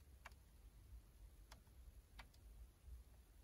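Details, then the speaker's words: Honda Civic EK4 during US 2DIN console and harness rewiring, blue wire jumped directly: faint sharp single relay clicks about once a second over quiet cabin hiss; rear defrost still not working, cause unknown. "ça fonctionne toujours pas voilà je vous avoue que j'ai plus trop d'idées"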